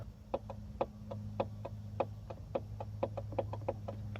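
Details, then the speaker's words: John Deere fuel solenoid clicking sharply and unevenly every quarter to half second over a low hum as the fuse is moved; poor fuse contact in the fuse box cuts it in and out, and the fuse box is to be replaced. "it was actually not this connector it's the fuse watch when i move it you can hear the fuel solenoid turning on and"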